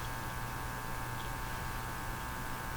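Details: Hallicrafters TW2000 communications receiver with constant low electrical hum and steady buzzing edge; mains hum in the audio, B-minus supply reading 95 V DC with heavy hum on the scope, possible causes being worked through.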